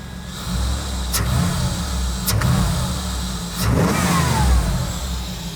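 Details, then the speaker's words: Third-gen Camaro V8, after injectors were cleaned for a persistent misfire, runs and revs smoothly on restart with the plenum off, light injector ticking audible over a steady low rumble; no vacuum or fuel leaks. "there you know what's different you can hear the injectors right"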